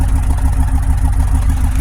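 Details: Grand Prix GXP V8 on first start-up after revival, '06/'07-08 engine swap, suspected bad mass airflow sensor, DOD cylinder 4 control circuit code, old plugs and wires: faintly uneven lumpy idle with occasional stumble; slight misfire suspected.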